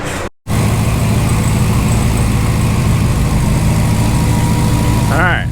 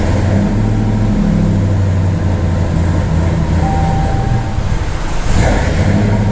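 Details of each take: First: Hellcat 6.2L supercharged V8 swapped into a Ram 1500 regular cab, idling after a forgotten sensor was plugged back in. A deep, even idle with a light, steady blower whine and no clanking or clatter. Normal supercharger whine. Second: Hellcat 6.2L supercharged V8 swapped into a Ram 1500, first start with returnless fuel system: lumpy, loping V8 idle that hunts and stumbles, air still in the fuel rails and lines plus an unplugged sensor; rough running.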